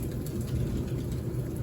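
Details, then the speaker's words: Kenmore 700 Series dryer after curing a loud metallic scraping noise by cleaning out lint, the wheels and the belt tensioner: a soft, even low rumble from the drum with no scraping or squeal. It runs normally. "Got the dryer back together. As you can see, and here, no more noise. Run smooth. That was it."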